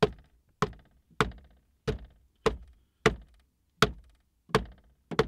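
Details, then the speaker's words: Cummins truck cab: hollow plastic thunks, about nine in five seconds, from something loose moving between interior side trim panels near connectors; rattle located behind the panel but cause not confirmed. "somewhere in this area is the noise and i'm glad i was able to figure out the location if you guys are having a similar problem to me and you can hear rattling"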